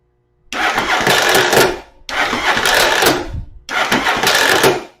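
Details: Starter test with spark plugs removed, before fitting a Bendix clip clamp. Three short high-pitched whirring bursts with no engine turnover, giving only about a rotation as the drive gear kicks out. Finding: starter drive gear not engaging the flywheel.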